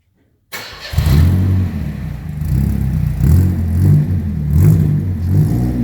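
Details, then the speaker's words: Chevette started cold without choke, factory downpipe into an 18–24 inch glass pack and chrome tip: catches after a short crank, settles into a deep, loud, throaty idle with slight wobble; loud glass-pack exhaust, another muffler may be added. "Sounds like Fast and the Furious. So if it gets to be too loud, we'll end up putting another muffler on it."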